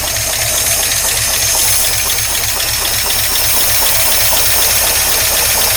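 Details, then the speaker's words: 1953 Oldsmobile Rocket Super 88 barn-find V8 idling after a brief warm-up: low, uneven chuffing under heavy hiss, stumbling irregularly. It sounds like a misfire at idle, sometimes sounding fine and sometimes awful. A carburetor problem is suspected, and the engine dislikes any rpm increase. Timing not yet checked. "no don't worry come on that starter is totally hitting miss sometimes it sounds great sometimes it sounds awful nope doesn't like that doesn't like that"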